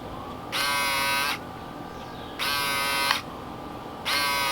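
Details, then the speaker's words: Replacement power door lock actuator (from eBay) for a 1988 VW Vanagon bench-tested on wires: three short even high-pitched buzzes with clean starts and stops, lock motor running smoothly and sounding good. "I'm gonna hook up them wires and show you guys how this thing works. I'm interested to see. Listen to this one. This thing sounds awesome."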